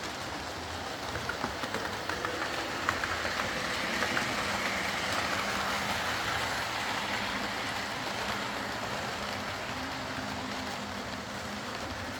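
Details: Old Lima Class 40 model locomotive in BR green, originally dead with front bogie issues, now on a completely replaced motorised chassis; faint steady whir as it pulls away slowly, no surging or stutter, smooth and quiet running.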